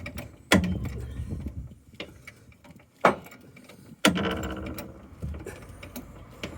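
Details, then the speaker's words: Citroen C4 Cactus whose coil spring sheared while reversing off the driveway, flattening the tyre: three loud metallic clunks a second or more apart as it is jacked higher, the broken spring shifting in its seat. "bang and a yes look what we've got flat tire and she said she found a piece of metal on the floor there we go part of the coil spr so it's obviously sheared off"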